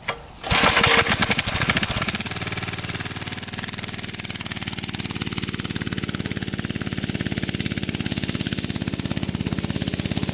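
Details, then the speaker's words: Barn-find minibike's small single-cylinder engine, sat 20-25 years, after oiling a shaft that had made a metal-on-metal squeal: starts and settles into an even, steady chug with no squeal; oiling the shaft fixed the problem. "All right, now listen to the engine here. See if it's still squealing. That fixed the problem. So oiling that shaft up got rid of that squealing sound."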